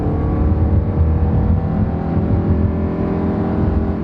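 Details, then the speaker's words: Nissan with CVT, 138,000 miles, accelerating without brisk pace: engine climbs to a high steady drone and holds with no shift steps, normal CVT behaviour. "and of course it's a cvt so it doesn't shift gears that's why it went up high and stayed"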